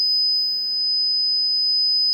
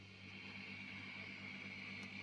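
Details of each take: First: Laney Cub 12R valve guitar amp on the bench: advancing the volume makes it burst into a piercing steady oscillation at 5 kHz; the cause was a grounding fault, the paint-insulated chassis halves having no electrical connection. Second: Laney Cub 12R valve amp with all controls flat out, after a fix for screeching and hum caused by the paint-insulated, ungrounded chassis halves (now bolted with serrated washers): quiet, smooth hiss with a faint low hum.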